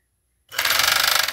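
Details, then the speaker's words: Chinese FN2 7D overlocker running at speed: a loud, fast, rattling clatter well above the motor hum; owner says it was always noisy but the noise keeps increasing, source unconfirmed. "ela sempre fez barulho né mas eu tô achando que esse barulho aumentando aumentando tá demais né"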